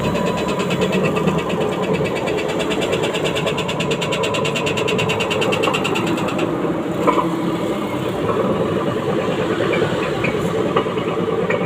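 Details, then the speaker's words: LG 15 kg washing machine on spin, before teardown: a loud rough roar with fast rhythmic ticking that eases as the drum slows. Inner drum bearing found damaged on disassembly. "Mesin cuci LG ya. Ini keluannya suaranya kasar."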